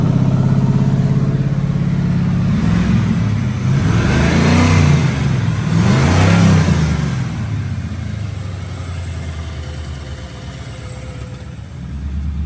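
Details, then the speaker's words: Ford Foxbody Mustang V8, first start since 2006: fast idle swelling and sagging over a few seconds instead of settling low; idling kind of high, it was going up and down before. "it's idling kind of high but nah it was going up and down before"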